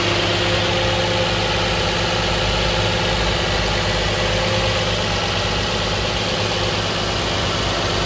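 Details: 2010 Nissan Maxima cold start idle, no knocking: steady even hum with faint lighter hiss; car otherwise develops a loud puttering from underneath after ~15 minutes warm driving, noticed after an oil change; owner wonders about TSB NTB12-071 #1 main bearing knock.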